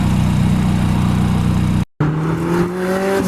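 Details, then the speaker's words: Turbo Honda K20 engine in an MR2 chassis VW Bug, driven under acceleration after a problem that held boost to about 1 psi was fixed. Strong low drone, then revs climb in a rising tone; the engine runs clean and strong. "oh my gosh it sounds so good [Music] sounds good dude it sounds so good"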